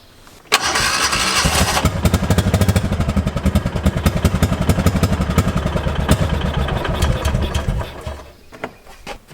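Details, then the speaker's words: 2005 Kawasaki Mule 600: fires then sputters and misfires unevenly with skipped beats before dying and won't restart. "r what it sounds like of course now i can't get it started but take my word for it that it's misfiring and running like crap"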